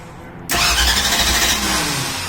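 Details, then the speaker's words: 1964 Ford Ranchero with new radiator, first key turn, choke pulled, no fuel yet in the system: steady brisk cranking with an even rhythm that never sags, no dragging or clicking; strong healthy starter. "It definitely, it's got a good starter."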